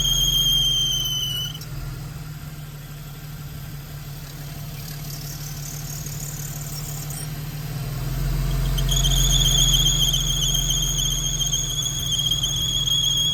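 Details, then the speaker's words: Squealing after a car wash; serpentine belt replaced before, air box off, belt visibly jumping, water sprayed on belt: sharp high squeal over idle cuts out then returns; owner suspects belt tensioner, unconfirmed, will remove belt and check pulleys. "so what do you think that noise is I'm leaning I'm thinking it's the belt tensioner because it's uh the way the belt is jumping"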